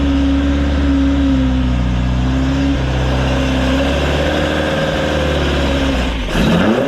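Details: Rebuilt Ford crossflow race engine in a Vixen with loaned cylinder head, first start after repair; strong, steady note shifting pitch smoothly with throttle, no knocks or misfires; running cleanly before warm-up and leak check.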